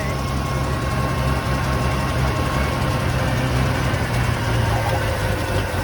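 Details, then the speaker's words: 1980 Ford F100 V8 first started after 20 years sitting outside, mystery oil added to cylinders and burning off: deep, even idle with steady low rumble, no knocks or misses; sounds smooth and healthy. "it sounds really good i mean i'm shocked how good it sounds absolutely sounds amazing"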